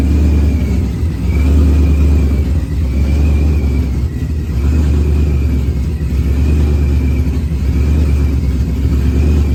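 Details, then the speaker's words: Procharged Ford Coyote V8 on first fire-up, running on an external fuel pump, closed-loop correction off at idle: deep, even rumble with smooth rises in revs, no knocks or misses; runs well. "okay well it seems like it's running good"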